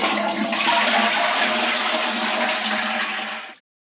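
Steady rush of water for about three seconds, then it cuts off cleanly; a normal, healthy flush.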